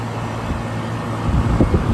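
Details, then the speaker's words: 30+ year-old AC condenser after replacing two run capacitors (20 MFD and 5 MFD) and fixing wiring; steady low electrical hum, fan whooshing evenly, no buzzing or stalling, blowing hot air; normal condenser running. "blowing hot air and that feels cool yes"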